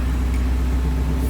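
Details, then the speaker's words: Honda Civic with H22 engine, just started after fixing a bad ground connection and coming off the battery charger: smooth, steady low idle hum with no stumble or ticking; normal idle. "finally another little battery charger here so finally got her going and take her off the charger"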